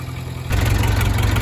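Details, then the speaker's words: 1963 Case 310F bulldozer running after cold starts, idle brought back down: deep, steady diesel idle with an even low thump and no miss or knock, a little smoke and plate rattle; water pump leak noted. "Got her idle back down. She's honestly cleaned up a lot. Little bit of uh little bit of smoke, but yeah, she sounds good."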